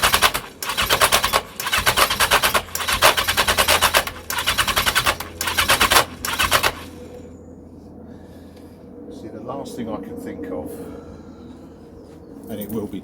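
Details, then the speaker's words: 1982 Yamaha XJ750 cranking on starting fluid with air filters fitted: long bursts of fast metallic rattling, pausing between attempts, no firing; owner attributes the rattle to the starter clutch. Compression untested. "hear that rattle that's the um starter clutch I can't even get a cough with s fluid"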